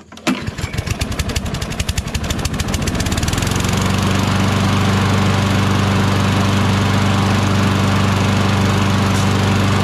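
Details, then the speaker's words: Craftsman push mower with a Briggs 6.75 Quantum engine: a rough, choked-sounding start settles into a steady, even low thrum; it runs fine, but the carburetor is suspect and the choke flap is bent. "Now it sounds good, but I bet you the carburetor needs a little attention."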